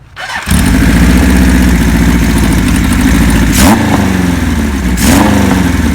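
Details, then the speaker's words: 1976 Kawasaki KZ900A four-cylinder with a new cam chain (the old one was loose and noisy), new gaskets, clutch and stator work, temporary carbs and colder plugs; it smokes slightly. Starts clean and idles evenly, with crisp blips and no chain rattle or knocks. "now keep in mind well we did was just put a cam chain in it and the gaskets and there's no motor noise or anything like that"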